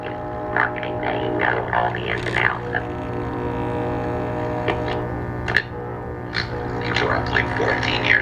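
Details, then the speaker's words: 1946 Arvin Metal Midget tube radio, warmed up into a test speaker, with a loud, steady 60-cycle drone under faint station audio: mains hum from a failed electrolytic filter capacitor, while the other main sections are shown working. "okay so we know the electrolytic filter capacitor is bad but since we hear stations and that tells us that all the major organs are good like the oscillator coal the antenna coil and the if trance come on"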